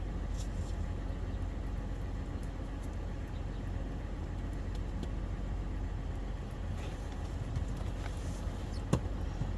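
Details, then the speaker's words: 2015 Toyota 4Runner 4.0L 1GR-FE V6, 241,000 miles, after replacing a cheap oil pressure switch that flashed the oil light at idle: low steady idle, even rumble, no knocks, ticks or misses. Normal idle. "So before I put the reservoir back in its home, I'm going to start it up and make sure that it's, for one, not leaking, and two, hopefully that light will stay off."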